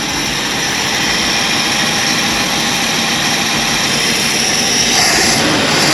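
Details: 1965 Ford Galaxie 500 project car, newly revived: the big V8 runs at a steady fast idle with an even roar and no knocks or misses. The engine sounds healthy.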